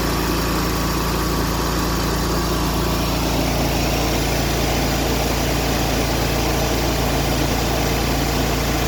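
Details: Exmark Lazer Z EFI zero-turn mower after repair restoring fuel pump power: even, steady engine drone with no misses, surging or knocks over nine seconds; running normally.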